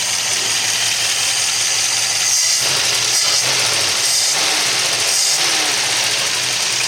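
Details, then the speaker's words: 1964 Studebaker Daytona, first run after 25 years, idle not yet adjusted, accelerator pump working, heat riser free, alternator not hooked up: revs rise sharply on each quick throttle blip and drop straight back, no stumble or bog; good response. "Has good response."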